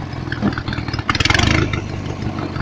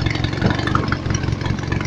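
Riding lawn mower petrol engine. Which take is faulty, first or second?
first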